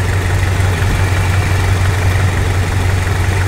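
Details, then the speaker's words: Toyota Kijang after adjusting the points: low idle with a lumpy, uneven exhaust pulse and extra engine shake because ignition timing has retarded from about 15 to about 25 degrees. "Nah sekarang kita kurang fokus untuk getaran mesin ini agak lebih getar ya karena kita coba ukur lagi untuk timing pengapian"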